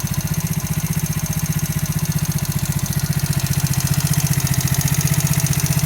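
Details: New engine, about 200 km, valves adjusted to 0.05–0.07: steady idle with a fast, even tapping riding on the firing beat; a knock whose source can't be pinned by ear.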